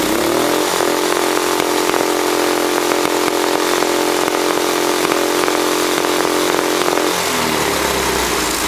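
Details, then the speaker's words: Go-kart engine in race kart mode, full throttle: revs rise sharply and hold a steady high wail at about 5,220 rpm (target 5,200–5,300), no misfires or surging; normal, within range, adjustable via throttle stop bolts. "Okay, so it revved up to, I think, 5220. That's in the range that it's supposed to rev to."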